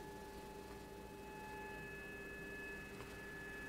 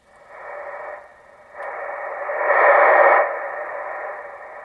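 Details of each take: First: Kenwood TS-440SAT ham radio receiver with microphone near the speaker: steady pure whine at several fixed pitches over soft hiss, changing with gain; not seen on the accessory jack audio output. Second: Kenwood 440SAT ham radio receiver moved downstairs and hooked away from the old Heathkit linear power supply: band-limited hiss rising and falling with signal, with no trace of the roughly 1100 Hz whine heard upstairs.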